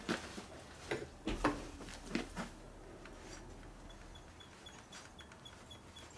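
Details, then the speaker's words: Harley Evolution 80ci FXR motor rebuild: cam gear turned by hand gives irregular sharp clicks, the cam slides easily because the gear mesh is too loose, with excess backlash. "now if the cam slides easily the teeth are not tight which is of course yes the cam is definitely loose you hear the clicking noise I'm taking my fingers like this on a gear it's loose"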